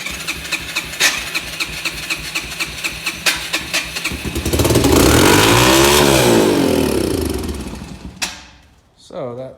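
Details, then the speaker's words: Yamaha TTR-125 dirt bike, long sat, won't start even on choke with a weak-sounding starter: steady cranking, then it fires on starting fluid and screams at high revs without settling to idle before cutting out; fuel or carburetor issue, possibly stuck throttle. "that sounds like a throttle it's stuck but you see how it fired up so we're gonna have to dig into this one a little deeper"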